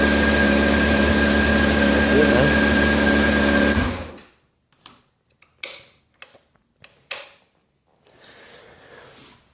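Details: 2000 Honda CBR600 F4 started fully cold with the choke. Quick, even four-cylinder idle with a steady buzz for about four seconds, then the engine dies for no apparent reason.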